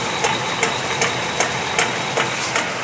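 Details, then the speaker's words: Honda CR-V, wheels off, in Drive: sharp metallic knock about 2.5 per second at wheel rotation, appearing under load, ringing through the driveshaft; first thought the inner CV joint, later found at the automatic transmission differential. "мы уже примерно поняли до 100 стучит впереди внутренняя граната теперь посмотрите как стук передается"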